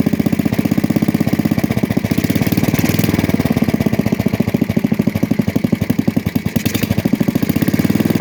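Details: 1966 Custom 6 single-cylinder engine reassembled with a new starter-generator bearing, pull-started from the pulley side: quick even popping, steady beat, no misses or knocks; smoke from water in the bore and oil on the block.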